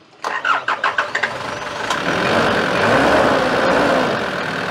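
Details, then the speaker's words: 1993 Nissan Terrano diesel with hard starting: cranks in uneven pulses, catches, then runs flat, strained and without power before dying; injection pump suspected and being checked by direct diesel supply. "walang power yan tapos mamatay na para ma-confirm natin kung injection pump yung may problema"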